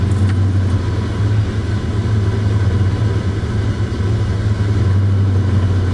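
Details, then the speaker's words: Heavily modified engine just fitted with a BAMA SCT Eliminator tune chip: deep steady rumble, idle about 400–500 rpm higher than before, even with no dips; high idle after chip install. "a little weird from the way it did idle before the chip is idling about four to five hundred rpms higher than it usually does"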